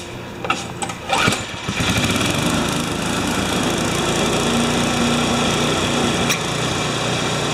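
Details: Mastercraft MTD snowblower after a new drive belt was fitted: a few clicks and a pull, then the small engine catches and holds a smooth, even drone with no knocking or surging.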